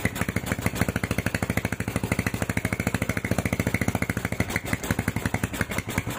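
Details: Honda Tiger stock engine with PWK 28 NGO carburetor, stock JJY needle, clip in middle: fast, uneven, hissy wet idle, rpm hangs, exhaust pops on throttle release; carb setting sounds rich.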